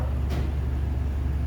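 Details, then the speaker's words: Car just repaired for an exhaust leak that was pushing fumes into the trunk, running with a new pipe and no muffler: deep heavy throb at steady idle, almost all low rumble with no rasp or ticking; loud open exhaust. "it's like music to the ears that's what i think"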